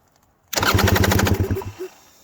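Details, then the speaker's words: 2020 KTM 300 XC TPI two-stroke, 279.1 hours, after tipping over on the trail: quick even cranking for a second, never fires; no spark, owner suspects electrical. "it goes dude something probably maybe just something electrical is not letting it work"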